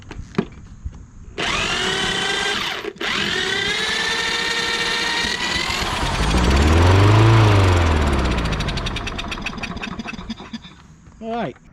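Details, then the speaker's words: Free self-propelled overhead-valve mower that sat outside, not running, cranked with a drill after spraying gas into the carburetor: catches, swells and dies within about three seconds, smoking; spark and compression confirmed, clogged carburetor must come out. "we know with this firing up the way it did we have Spock and we have compression now why it's smoked up like that I sprayed all that gas in there this carburetor is going to have to come out"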